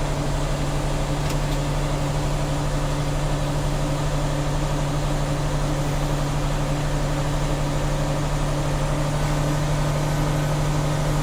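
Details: Tractor-trailer air brake inspection, diesel revved up to refill air to governor cut-out before the three-way brake test: steady fast-idle drone with constant low hum, no knocks or air leaks; compressor filling the tanks normally.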